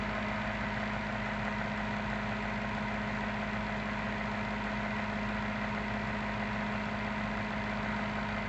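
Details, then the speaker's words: Maytag top-load washer control board on a bench test, actuator shifted to spin position. A smooth, constant motor hum with a steady mid tone and no knocks or grinding; normal spin, though no tachometer is connected yet. "ahí ya logró la posición de espn ahora el exprimidor"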